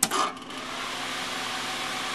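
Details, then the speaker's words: Propcycle arcade fan after replacing rubber-mounted nylon bushings with ball bearings in aluminum: smooth, even airy rush with no rumble or whine. Owner notes some motor noise and a tiny click, possibly a spot just touching. "so you here it's not making any noise other than just the the breeze"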